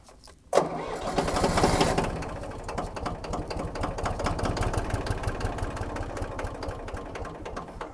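Starter engages and keeps turning over with a slow, uneven chug of about three beats a second; the engine never catches.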